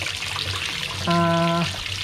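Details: Hitachi SF-160XTV 16 kg washing machine, after repair of a no-power fault (a board component replaced), now powers on normally: steady rushing water-fill hiss with a short buzzing hum midway, filling normally and sounding healthy.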